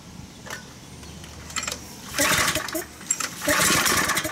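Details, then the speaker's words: Craftsman pressure washer (model 126M02-0344-F1, Briggs & Stratton 675 engine) on a recoil start: a short sputtering burst that stalls. It fires on full choke then instantly dies; a clogged carburetor main jet is suspected. "as you guys could hear the thing fires up and then dies so I'm gonna rip the whole thing apart"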